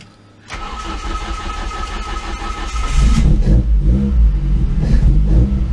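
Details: ST170 engine on GSX-R750 individual throttle bodies with ME221 ECU, engine management light on: quick crank and catch, steady idle rising into crisp, even revs with no misfire, knock or banging; starts and runs healthy.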